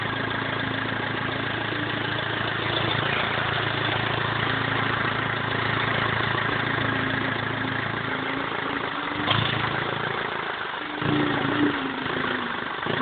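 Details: BMW E46 320d, 150 hp diesel, first start after overhaul following swirl flap failure: steady, even diesel clatter at idle with no knocks, misses or rattles; runs smoothly.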